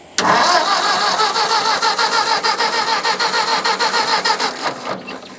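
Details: Old Ford tractor (said to be an 8N) after ether: starter cranks in an even chug about three beats a second that sags without firing; starter kicks out while cranking, carburetor suspected. Unconfirmed.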